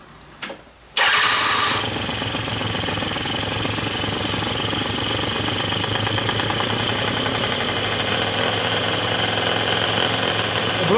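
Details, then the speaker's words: Quantum RS two-stroke scooter at idle, mixture screw opened too far with the throttle stop left untouched: buzzy, uneven idle with a ragged beat about four per second; too much air, running lean. "za dużo powietrza o odkręciłem teraz żeby było dużo powietrza"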